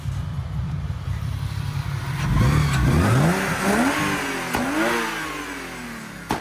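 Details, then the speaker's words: BMW E36 after head gasket replacement: revs climb smoothly through a couple of blips and settle back, even and steady with no knock or ticking; sounds completely different from before, healthy. "Viss ir ļoti labi un skan viņa pavisam citādāk kā pirmī."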